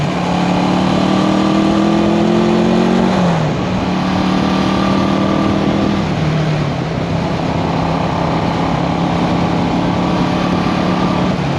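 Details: 1974 Honda CB360 twin after carb repair (number two carburetor was the culprit) on test ride: pulls cleanly through the gears with steady pitch, drops smoothly to an even idle at the stop, no stumble or hesitation; normal running.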